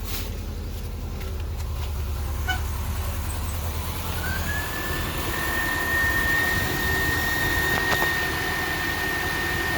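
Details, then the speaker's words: 2000 Subaru Outback idling after adding engine restore, radiator stop leak and other additives; starts right up, steady even idle with faint whistle, no valve tap heard from top end: normal idle. "sounds pretty good i don't hear that valve tap"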